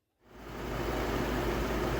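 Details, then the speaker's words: 2004 Chevy Trailblazer after thermostat, clutch fan and idler replacement for code P0128 (was running cool): after start-up a steady even low rumble under loud heater fan hiss, no knocks or squeals, circulating antifreeze; healthy idle. "okay it's a little bit loud in here trucks running the heaters on it's gonna rain for about 20 minutes everything looks good no issues"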